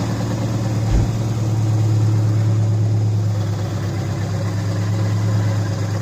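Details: 2004 Subaru Impreza idling just after engine re-assembly with a JB Weld-repaired stud (coolant-burning fix), coolant burping: smooth even low hum, no skips or misses, no check engine light; fires cleanly.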